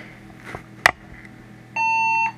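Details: HP desktop that failed to POST and beeped, after removing the oldest, bad RAM module: a couple of small clicks then a single clean half-second beep; passes self-test and boots into Windows.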